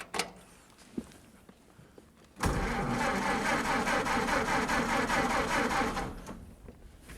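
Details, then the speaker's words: 1931 Ford Model A after reassembly, timing-retard lever position uncertain: the starter cranks with slow, even beats for about three seconds but the engine never fires; the fuse at the starter had blown, likely from a shorted headlight wire. "yeah I see why it's not running the fuse blue one of these wires for the headlights must have shorted out against something fuse goes right there on the starter"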